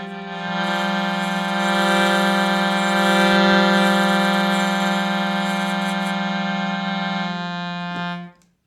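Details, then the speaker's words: Shruti box playing a held chord of reed notes with a raspy buzzing edge over the tone. A buzzing reed shifted out of position, blamed on weather and humidity changes; the fix is filing the reed. "any sort of read instrument can suffer from a shifting of the reed weather changes affecting things humidity all that stuff and so it's perfectly normal to deal with a buzzing reed"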